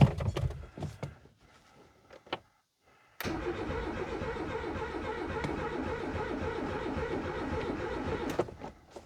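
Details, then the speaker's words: Renault 19 GTS Chamade 1.4 Energy project car: starter churns steadily for about five seconds and it never fires; no fuel pump priming heard and the choke wasn't on; cranks, no start. "all right I don't hear the fuel pump kicking in folks so we'll have to have a figure about that"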